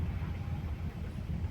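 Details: Chery Arrizo 8 while driving, with a tool pressing the loose corner near a hole in the trunk that lacks a spot weld: steady low cabin and road rumble with no creaks or ticks, the trunk creak gone.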